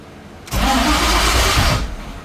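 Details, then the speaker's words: Coyote GT-engine-swapped Ford GT500 on its first start attempt: the starter spins barely a second, then quits with no firing. It should keep cranking until it starts. An unconnected crankshaft position sensor was then found and is suspected as the cause. "okay again all right it's weird the starter stops it should kind of keep going until it starts"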